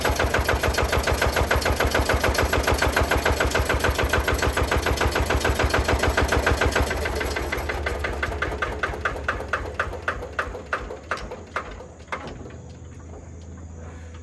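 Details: Single-cylinder Lister diesel on a Benford TS25 radial swing concrete buggy, just hand-cranked using the compression valve; parked, neutral. Crisp, regular thumps about three and a half per second, even and strong, slowing smoothly toward the end; healthy running.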